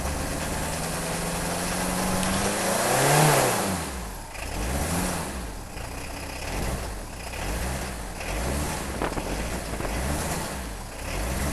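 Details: Peugeot 306 XLdt cold diesel start after two glow plug cycles and long cranking, throttle floored: fires then revs slowly and heavily, surging unevenly; injectors first suspected, turned out to be two dead glow plugs.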